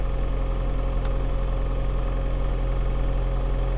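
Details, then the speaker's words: 2007 Toyota Avensis 2.0 at cold idle after replacing timing-side engine mount: smooth, even low idle hum without the former droning roar or vibration buzz, even in gear. "А сейчас можно будет послушать Какая после замены подушки Да двигатель холодный но того рёва который был"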